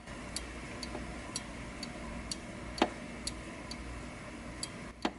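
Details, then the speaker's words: Cactus Canyon Remake pinball saloon door switch after adjustment, screws not over-tightened so it doesn't bind; light sharp clicks about every half second over low hum, switch clicking cleanly open and closed as it should. "If you listen very carefully, you can hear the actual clicking of the switch."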